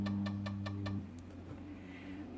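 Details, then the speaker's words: Zenith Z-NoteFlex NTB005 laptop hard drive at boot: about five sharp evenly spaced clicks over a whining tone, then quiet; failing drive, later data error reading drive C and fdisk won't load. "oh that sounds like crap wow that really sounds like crap it seems to still be working but damn that sounds bad"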